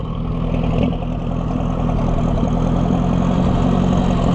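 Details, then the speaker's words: Oliver 550 loader tractor, long abandoned, just started: low, uneven stumbling idle with dips, missing and near stalling; owner says it sounds better with the choke pulled out; rough idle, cause not confirmed. "Pull the choke out and it sounds better. We do not have a happy camper here, friends. Missing out."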